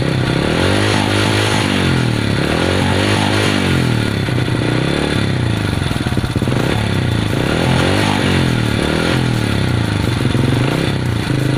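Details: Honda Supra underbone motorbike that would not start, after adjustment: steady, even single-cylinder putter at idle with a smooth beat and no knocks or misses; the bike idles cleanly.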